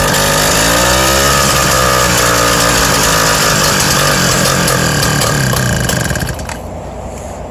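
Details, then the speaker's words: BT-80 electric-start motorized bicycle engine, first start after building a custom exhaust with a new gasket (leak fixed; muffler just refitted, gasket still curing): fast, even putt-putt about four pulses a second, no puffing or ticking leak, then cuts out cleanly; exhaust healthy. "already tell it's something a lot better there's no more sounds like it's all coming out the end like it should"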